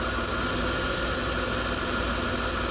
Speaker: It's that plug wire right there. You can see it pushed off. Because this coolant hose somebody installed pushing on it, if you drove a car, walked that plug right off and you can hear it arcing inside there. And that's his misfire.